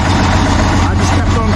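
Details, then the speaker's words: Diesel truck stuck in deep snow, finally started after about 2.5 hours with two new batteries; owner suspects a frozen starter: deep, steady rumble with an even beat, no misses or knocks, idling to warm up. "but it should be good now i'm gonna let it warm up"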